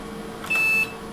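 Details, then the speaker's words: 386SX 25MHz PC (8MB RAM, 171MB IBM IDE drive) running the PC Check test; the processor seems about to fail arithmetic instructions. A single steady high-pitched error beep over faint room hum. "It is making very unhappy noises."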